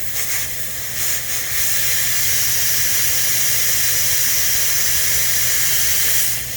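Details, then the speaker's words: 2012 Ford truck TPMS reset, deflating the right front tire valve until it beeps: a steady high hiss of escaping air with no beep. The valve sounds clogged and restricted; a bad sensor is suspected if it never beeps. "Come over here, and you are simply going to deflate until you hear a beep."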